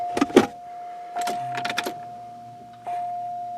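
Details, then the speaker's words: Buick LeSabre, key on after replacing the fuel pump (old pump delivered no fuel at the feed line): steady, even mid-pitched hum of the pump priming to fill the rail; normal fuel pump priming. "hopefully it ain't leaking we'll run her a few times to get the fuel up to the rail"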